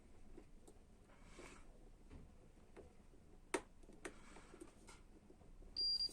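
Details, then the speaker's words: Canon i-SENSYS MF4410 printer control panel button checked with continuity tester on its contacts: handling clicks, then a short clear high beep when pressed, so the contact closes and the button works; no beep means a faulty button. "Սեղմելուց եթե լսում ենք այս ձայնը, հետևաբար կոնտակտը միացել է իրար, կնոպկան աշխատում է։"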